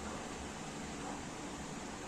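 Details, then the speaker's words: Standard stand electric fan on speed 1 of 3; low, soft hum with weak airflow as it turns sluggishly; possible worn shaft bushing or weak capacitor suspected; slow-running fan motor. "Ayan oh yung one niya yan oh. Gumagalaw siya pero slow mo lang."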